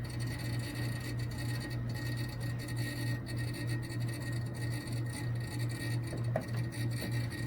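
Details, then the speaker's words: Refrigerator compressor that wouldn't stay running (about half an amp), just after fitting a Supco URCO410 3-in-1 hard start kit: steady low hum with a rough scraping rattle. It runs, louder than before; the fridge seems on its last leg. "so already it's doing more than it was doing about an hour ago so this is encouraging to me it's louder than it used to be but i think that's kind of to be expected"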